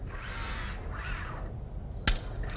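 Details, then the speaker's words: Electric arm prosthesis: user co-contracts to unlock the electric elbow, then lets it lock; short motor whirs followed by crisp single clicks as the elbow locks normally. "Very nice. You may be able to hear the clicking of the elbow locking."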